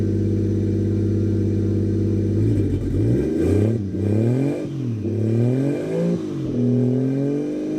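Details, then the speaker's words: Toyota Aristo turbo engine first start after new 4-inch downpipe, recirculated wastegate dump and turbo/wastegate heat blankets fitted, valved exhaust; even idle then clean smooth revs, no knocks or rattles; smoke is wet heat wrap; normal running. "runs. Sounds good. The valved exhaust is great. It's super quiet when it's closed."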